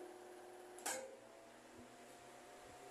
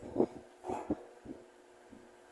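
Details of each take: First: Mallory TS 40 fan on speed 3 with all three lamps on runs strong and quiet, a steady hum with no rattle; its noise occurs only on speed 2, and the bushing was replaced this week. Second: Mallory TS 40 electric fan: quiet and strong at speed 3, but at speed 2 a low motor hum with irregular soft thumps and knocks; noise occurs only at speed 2, cause unclear, oscillation slightly shaky.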